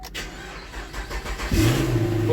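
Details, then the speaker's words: Towed-in 2011 Chevrolet Camaro 6.2 with a no-crank, no-start fault, restarting after repair with about 12 volts restored: a short crank, then it catches at once and settles into a smooth, steady idle. "what start right on up awesome"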